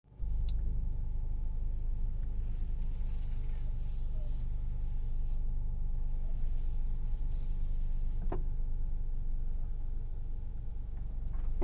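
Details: 2019 Nissan Rogue: isolated sharp pops and clunks every few seconds over a low idle rumble as the steering wheel is turned.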